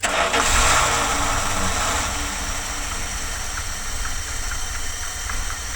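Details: 1978 Dodge van, cold V8 on a ramp during exhaust work: catches and settles into a lumpy idle with a light, irregular metallic tick on top; owner suspects a rattling heat guard.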